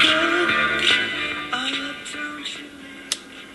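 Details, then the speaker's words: NuTone NM200 radio intercom master station on the bench: clear music through the speaker at steady volume with no hum, crackle or dropouts; the radio works. "push both buttons will scan through the presets CD auxilary a.m. 2 3 4 5 6 7 8 FM seems to work ok to me"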